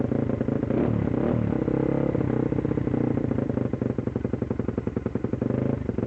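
Uneven, stumbling beat that surges and sags as the engine struggles to keep running; it misfires and is close to stalling.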